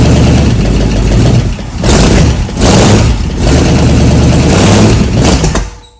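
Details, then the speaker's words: 1964 Galaxie-build Ford engine from a yard, first run on a homemade engine stand, no choke connected: it catches and runs unevenly, surging and sagging twice before dying. One side of the carburetor sprays fuel and the other doesn't. "See if I can get fuel. One side's spraying, the other side isn't."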